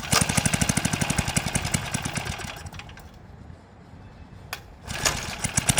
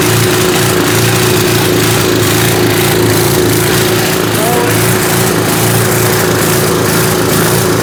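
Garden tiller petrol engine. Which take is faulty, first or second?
second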